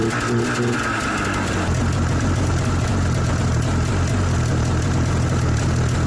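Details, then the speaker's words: 1994 Yamaha VX500 two-stroke snowmobile first run after sitting: revs drop into a low buzzing idle that barely holds and sometimes stops; idle set too low, owner suspects weak spark or something not strong enough. "it's idling a little low I should adjust that probably but for now it's all good well it runs so that's always a good accomplishment"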